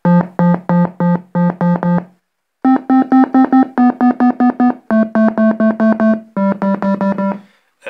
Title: KORG Minilogue Excessive VCA/Envelope Clicking